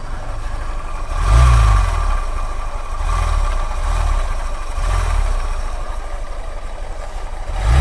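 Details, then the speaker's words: Honda SP Shine 125 cc with the clutch cover open and the output shaft disconnected, so only crank, piston and camshaft turn: a deep rumbling "ghar ghar" growl from the head that swells with each throttle blip; camshaft bearing rumble. "Sound आ रहा है guys घर घर घर घर कर रहा है"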